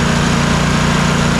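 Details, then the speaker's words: Troy-Bilt Mustang RZT zero-turn mower that bogged and died under load, after replacing a bad ignition coil: steady even idle with a smooth low throb, no misses, both cylinders now firing; normal running. "you can just hear the difference as the as the mower is running that both cylinders are now working"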